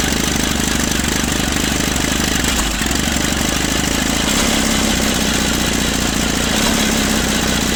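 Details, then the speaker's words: 1950s Caterpillar D4 dozer that sat at least 20 years, on a temporary fuel line and a primer bulb feed: pony motor clatters while the diesel turns over and barely catches; the starter Bendix drive kicks out too early. "So what's happening is the Bendix on that starter mechanism is kicking out too early. It's supposed to kick out when the diesel motor starts running."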